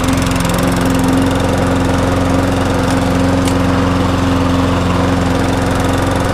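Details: Viking mulching lawnmower with a 5 hp engine: steady, even drone at constant speed with no knocks, misses or surging; running normally.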